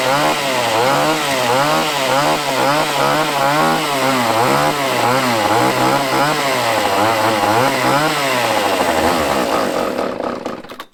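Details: Used chainsaw with old fuel dumped, fresh fuel added, and the fuel line primed: revs up and down cleanly with a crisp, even buzz, then dies away; fuel system delivering properly.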